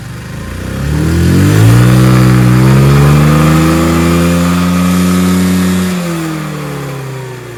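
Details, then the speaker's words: Craftsman LT1000 hydrostatic riding mower after the carburetor was removed, cleaned and refitted: revs climb smoothly, hold steady and ease back down with even firing, no misses or surging; runs properly. "well I've been running this for a while I finally got it running uh I took the carburetor off cleaned it again"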